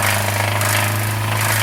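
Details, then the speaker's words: Severe loud, harsh, rapid metallic knocking over a heavy low drone from a 2019 Hyundai Sonata DN8 petrol engine, described as sounding like the engine breaking; engine later removed and disassembled to find the cause. "엔진에서 이런 소리가 날까요 엄청나 와 엔진이 깨지는 소리가 나는데요 도대체 왜 그런 걸까요"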